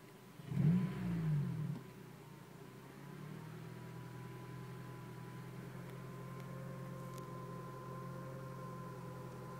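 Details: 2006 Honda Civic Si: engine blips then idles with a faint steady high whine, heard in neutral and when pressing gas, started suddenly after a red light, worst from passenger seat; dealer said too quiet to diagnose; cause unknown.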